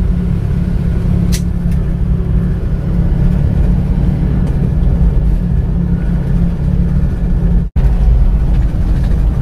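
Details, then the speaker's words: Isuzu Panther Touring after 8 km driving, engine warm and temperature stable: steady low hum from the rear wheels, likely rear-left; suspected worn wheel bearing rather than the differential, not confirmed. "Saya rasa ini adalah suara larinya ya bukan suara gardan tapi malah suara lakernya suaranya seperti ini"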